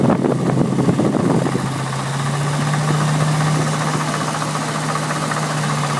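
Over a steady V8 idle there is a quick, light, irregular ticking, several per second, coming from a failed water pump.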